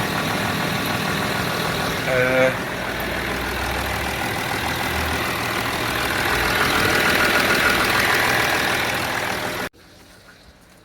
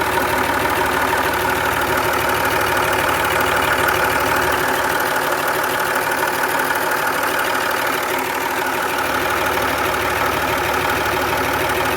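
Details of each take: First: 2009 Land Rover Discovery 3 diesel with 150k miles, on its first start after a timing belt change: steady, even clatter at idle with a regular beat of about four per second and no knock or misfire; normal idle. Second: 2009 Land Rover Discovery 3 diesel, 150k miles, warm after timing belt replacement: steady idle with a light, regular ticking around three per second; owner suspects the alternator, which felt grindy, unconfirmed.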